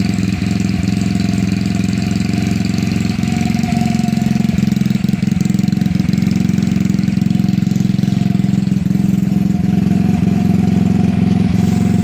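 Small single ticks over at a steady, even beat of about four pulses a second, no knocks or stumbles; healthy idle.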